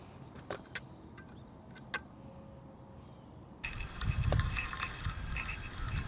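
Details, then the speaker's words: Slab leak detection on a pressurized water supply line: a steady rushing hiss rises and stays loud at a second point, and the leak is assumed to lie between the two loud spots. "Okay. And this one's screaming too. So now I know I was at the one right there in front of the face on the trade talks and right here. So, right now, I'm assuming that the leak is right here between them."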